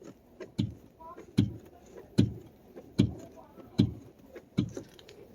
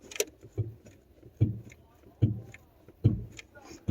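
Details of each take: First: Mercedes S600 coupe: dull regular knocks about 75 per minute as the body is rocked, the strut hitting toward the body from a bad rear strut upper mount; the other side is good. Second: Mercedes S600 coupe rear strut upper mount, car rocked by hand on the good side: soft, dull thumps about once a second with no knock, unlike the worn opposite side.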